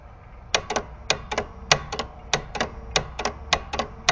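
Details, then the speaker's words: 1967 Williams pinball score reel number three, manually triggered with relay bypassed: crisp clean clicks in pairs and triplets, no buzz, normal, unlike noisy reels one and two; fix was coil plunger stops. "can see number three it's perfectly normal and happy to not so much it's not the contacts they're being bypassed it's not the coils they're brand-new"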